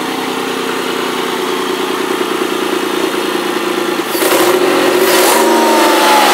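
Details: Ford ST200 V6, first run after engine repair with a new head gasket and timing chains: a steady, even idle with clean throttle blips and no knocking. Healthy.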